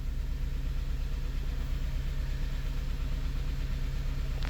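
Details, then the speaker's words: 2006 Honda Element K24 with P0301 code, scanner showing cylinder misfire counts climbing: uneven, lumpy idle rumble with a recurring stumble about twice a second; one cylinder misfiring from a bad fuel injector, confirmed by injector swap. "Very rare, but man, we do have a misfire on a bad injector."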